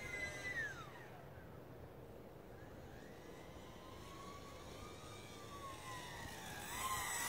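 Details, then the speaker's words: E-flite UMX Aero Commander RC plane electric motor in flight on a 2S pack around 7 min 50 s: whine with a gliding tone that sags and shifts, pulsing as the low-voltage warning hits. "You hear that noise? Yeah. That's low voltage warning."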